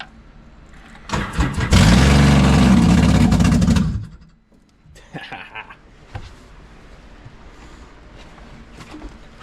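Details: Rebuilt locked-up engine in a 2014 Scarab 195 jetboat with 300 hours, run open header without the water box: brief cranking, then a loud, rough roar with smoke for a few seconds before quietening. Normal start and run.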